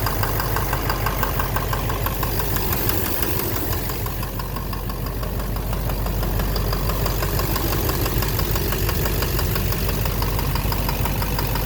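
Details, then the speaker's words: 2009 Chevrolet Silverado 3500 Duramax LMM diesel dually, 59,900 miles: steady rhythmic knock about twice a second over idle clatter; owner suspects the back of the bottom end near the oil pan. Oil analysis shows no abnormal wear metals; knock intermittent since 57,500 miles. "Sounds sort of like the bottom end. I don't know. Something. Like something in there. The back of the bottom end."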